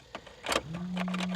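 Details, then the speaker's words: Abandoned Geo Metro convertible with amateur wiring: key clicks, then steady low electric hum of the fuel pump running; starter never engages, no crank. "I was hoping that this was at least going to crank over for us but it doesn't seem like we're going to get any luck from this one um listen to it though you can hear that fuel pump it doesn't even try"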